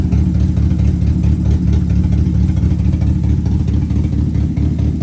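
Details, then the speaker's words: Rebuilt 2.2 Ecotec race car engine with Comp Cams, out of gear: deep steady idle with slight lumpy cam lope, no knocks or ticks; normal idle. "Let's see if this thing will fire up. Make sure he ain't got it in gear. Yeah, we're good. Listen to that cam and that bad boy. Sounds pretty good, actually."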